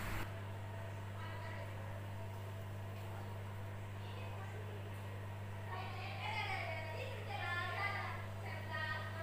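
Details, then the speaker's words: Lux Royal WH1093i washing machine spin test after replacing cracked inner drum and spider with shaft: steady low hum, no gasket rubbing on slow start and no kicks from behind the drum as before repair; normal spin. "es Spin pada mesin cuci wh10 93 ini hai hai Hai pada awal putaran lambat gesekan ke gasket terdengar tidak ada seperti pada saat pengujian awal"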